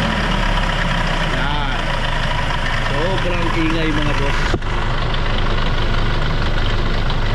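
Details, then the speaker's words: Hyundai Starex D4CB diesel, hood open: idle with a loose, uneven clattering knock from the front of the engine, louder as the throttle is blipped; the mechanic's verdict is timing chain rattle. "May parang humahampas dyan dito sa harap na makina. So alam na natin yung mga ganyang ingay mga boss."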